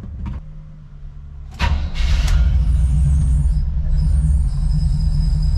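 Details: Chevy square-body crew cab TBI truck that wouldn't idle after tune-up; after fuel pump replacement, brief crank then steady low idle without stumbling; screeching at start suspected from failing smog pump.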